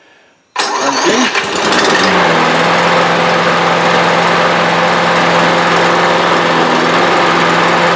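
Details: Snapper mower with Briggs & Stratton engine, brought in for not starting, after spark test and reassembly: half a second of quiet, then it catches at once and settles into a steady, even single-cylinder drone; starts and runs fine.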